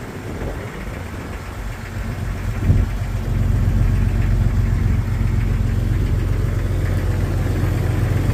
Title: 1999 Jeep Xj Cherokee Cold Start Piston Slap